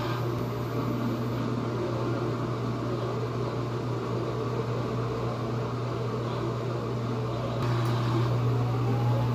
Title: GE || Washing machine || Normal sound || Spinning